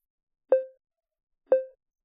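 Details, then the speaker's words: iOS 14 phone with VoiceOver on: two short electronic bloops about a second apart, the annoying beep heard when opening or scrolling through apps, from the screen reader's detected-text sound. "okay so that's the sound we're trying to get rid of and this can happen when you're opening apps or scrolling through apps"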